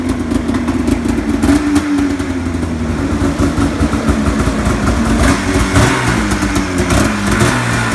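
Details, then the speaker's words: Snowmobile (ZR, about 3,500 miles, rusty, cracked hood, leaking oil) revving raspy and uneven with a loud chuffing rasp from exhaust leaks; owner reports a loud clunking noise on starting, cause unknown. "When you freaking start it, it makes some like really loud ass clunking noise. It's got fucking exhaust leaks there, which I realized that some of these things aren't a big deal."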